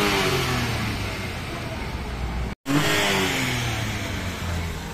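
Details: Mitsubishi Mirage that had been only cranking without starting, after the fuel pump wiring was worked on: engine runs cleanly and picks up smoothly on the throttle, pitch rising and falling without misses or rattles; running normally.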